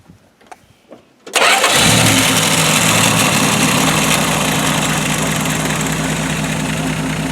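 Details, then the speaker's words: 1967 slant six, seized after 30 years in a field, freed with diesel fuel, new water pump, thermostat and tune-up: short crank, quick catch, then smooth steady idle easing down slightly with no knocks or misses; healthy. "after freeing it up this is what the engine sounds like so I'll just start it up"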